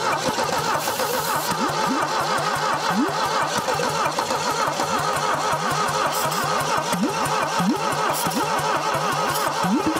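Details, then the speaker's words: 1968 SAAB 96 factory V4, unstarted about 40 years, previously seized, rat's nest found: slow dragging crank with uneven chugs and long gaps, never catching; low compression, stuck rings suspected. "we're just fighting it turning over too slow we're fighting just no compression at that point too"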